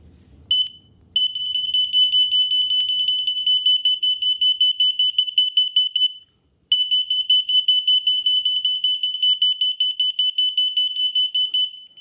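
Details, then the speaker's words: A third-party alarm's shrill beeping, about 2.5 per second, sets off the tested vibration alarm with no vibration present: a false alarm triggered by sound frequencies alone. "um that beeping sound uh sets off the alarms. But um you know, even if there's no no vibration."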